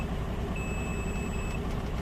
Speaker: I have no coolant, apparently. It's screaming at me.